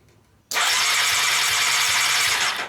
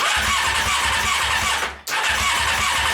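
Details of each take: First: Honda CBR600 engine out of frame, starter jumped by wiring, carburetors removed: fast, even high whir for about two seconds with no firing; starter cranks the engine normally. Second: Honda CBR600 engine out of frame with plastics removed, starter fluid tried: starter spins steadily with a hissy whir but never catches; spark only intermittent, likely electrical issue.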